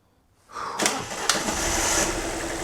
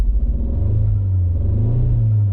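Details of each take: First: Alfa MiTo Cloverleaf after repair, cold day, first start: short crank then catches at once; usually takes three or four turns; slight initial misfire mentioned; settles smooth; normal cold start. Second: Alfa Romeo MiTo Cloverleaf with codes for cylinder 1 and 3 misfire and random multiple-cylinder misfire. Lumpy, uneven, low chugging with a stumbling beat like a lawn mower; engine misfire.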